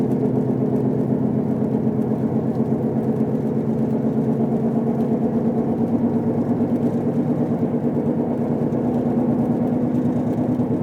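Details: Car while driving, noise began the day after wheel bearings were replaced: low droning whine with rough grinding edge, louder when accelerating, vibrating the whole car, silent when braking to a stop; source undetermined.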